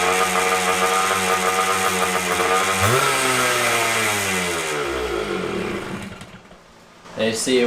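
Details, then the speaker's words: Honda CR500 two-stroke dirt bike: holds a high buzzing rev and winds down only slowly after the throttle closes. High idle from the idle screw turned in too far; turning it out lowers the idle. "so this one idles really high that's usually a quick fix usually just the fuel air screw I mean not the idle screw is in too far so if you twist it in it'll idle really high if you twist it out it'll out lower"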